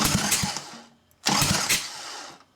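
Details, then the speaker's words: Freshly rebuilt Evo Sportster 1200 twin cranked with finger over spark plug hole before first start, about 3–4 seconds; strong even puffing pulses; normal cranking compression. "sounds great now that doesn't even matter I knew that that sounded good just cuz it was so hard to rotate over by hand"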